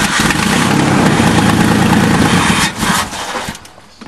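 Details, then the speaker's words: Free 1998 Ford truck being primed with throttle held open a quarter: steady starter churning under three seconds with no firing; no fuel pump heard running, crank-no-start from no fuel delivery. "crank it sucking no gas i mean no i don't i don't hear the fuel pump running either just try it try it don't hit the throttle away no he's working the throttle yeah she got no fuel yeah fuel pump's not turning"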